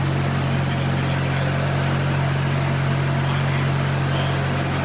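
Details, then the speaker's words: Mazda RX-7 rotary with a single turbo conversion, idling at first start. Even, constant low hum with a steady buzzing note and no surges or skips; a smooth, healthy idle. "That looks comfy, Dave. Um, do you fit? I fit. You and I drive to camera. Drive across Japan. [Music] Sounds so smooth."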